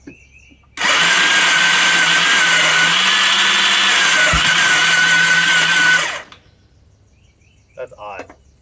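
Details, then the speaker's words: Bombardier DS650 quad with a newly installed starter motor: steady high electric whir with no compression pulses. Starter freewheeling, not engaging the engine; owner suspects the gears under the cover. "It just sounds like the starter is just spinning. Yeah, it's not spinning the engine over. That is very odd."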